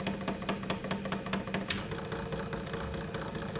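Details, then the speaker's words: 1940s Peirce Model 55B wire recorder in rewind. A fairly regular tick, a bit over two per second, rides on the drive hum; suspected mild flat spot on a rock-hard rubber wheel, and rubber renewer might help. "look at that boy is that ever noisy know some rubber renew might actually work for that probably because there's a mild flat spot on it"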